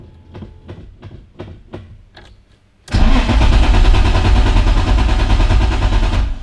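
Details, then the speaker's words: BMW E30 M3 Touring cranked with some throttle, fuel pump heard humming briefly: steady starter cranking about three beats a second, no firing at all; cranks but won't start. "Und das ist auch das Problem momentan. Der startet nicht."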